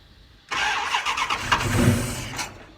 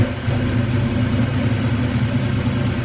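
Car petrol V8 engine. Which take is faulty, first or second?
first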